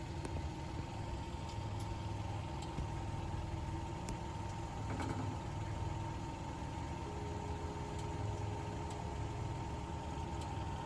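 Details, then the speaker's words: 2010 Kia Forte EX after driving, steady idle with a faint metallic buzz and light ticks from under the car: heat shield near the gas tank broke off rusted mounts; shop cut it off. "Hey guys, the noise that you heard is all coming from under my car is from one of my heat shields."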